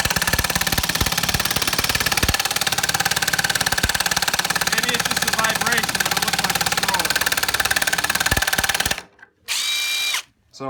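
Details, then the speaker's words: Stealth Force Gen5x impact driver on a 3-inch lag screw with no pre-drilling: rapid steady hammering of three or four blows a second that labours on then stops, not its normal sound; overloaded, owner stops driving it. "So I'm not going to go any further. I'm definitely stressing the hell out of this motor here, because that's not the normal sound for this thing."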